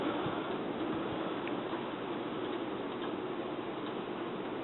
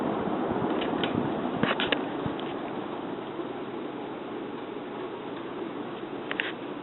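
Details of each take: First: Sears Emerson Turn of the Century 52-inch ceiling fan, about 1982–83, with an Emerson K-55 motor, on medium speed: a quiet, slow whir with faint, irregular light ticks. Cause of the ticking not identified. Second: 52-inch Sears (Emerson) Turn of the Century three-speed ceiling fan on its slow medium speed: soft even airy hum, no grinding; bearings seem good.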